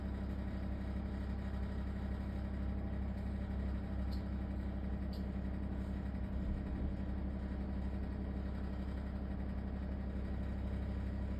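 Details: LG ThinQ WSES4728F oven: continuous low rough droning rattle that never settles, like a loose or unbalanced fan chattering inside.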